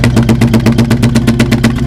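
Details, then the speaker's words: 1966 Ford Bronco 351 Windsor that started tapping while cruising: uneven idle exhaust puffs with a regular dropped beat on one bank, which sucks the paper in; owner suspects the exhaust valve, a dead-cylinder misfire. "So I definitely think there's something up. I mean, I think just sucking my hand back in. This one, nothing. Steady, constant out. Yeah, something seriously is going on here. And I suspect the exhaust valve."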